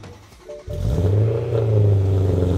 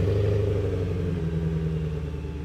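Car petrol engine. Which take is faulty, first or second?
first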